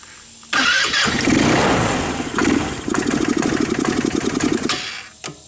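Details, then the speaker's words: Older Tao Tao Bull 150 ATV, a non-starter with stale gas, cranked after spraying the airbox: short crank, then the single cylinder catches and runs raggedly for seconds; it starts. "Wow, cool. It starts. This is getting too easy."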